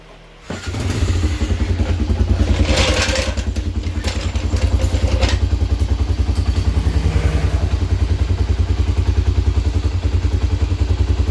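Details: 1997 Honda 300EX quad after oil change, new brake pads and clutch adjustment, on a test ride: single cylinder thumping steadily at a fast even beat, no knocks or rattles under load; healthy engine.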